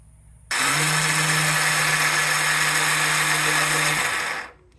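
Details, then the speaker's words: Yamaha Rhino 450/660 UTV starter whirs steadily with a rough grinding edge but the engine never catches; the one-way starter sprag clutch in the engine case slips both ways and no longer engages the flywheel starter gear; fix is replacing it. "so basically there's a one-way sprag inside of the passenger half of the engine right in here what happens is that goes both ways and you got to replace it"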